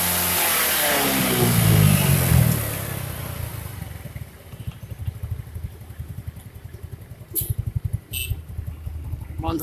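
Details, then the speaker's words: First-generation Yamaha Mio scooter after refitting the CVT cover with the kick-start part hooked correctly: revs then settles to even idle, no grinding from the belt drive; noise gone, shaft to be greased to prevent recurrence. "digas melayu, geser sandarnya. Wis bok aman, nggak bunyi lagi."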